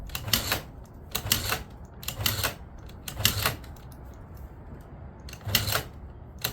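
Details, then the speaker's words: Long-sitting 2009 Yamaha Zuma 50 two-stroke scooter, battery dead so kickstarted before any carb work: regular kicks about once a second, each a quick rattling rush with no firing; no start, carb to be pulled and cleaned. "Not a chance. Let's pull that carb off and clean it out real quick."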